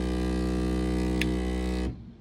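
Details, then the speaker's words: Ender 3 3D printer: a harsh, steady buzzing drone from the Y-axis bed stepper motor, cut off sharply; the motor stalls at its travel limit because the Y-axis end stop switch is broken. "So, when it comes to 3D printers, it's a pretty awful sound. Turns out my end stop switch was broken is the problem right there."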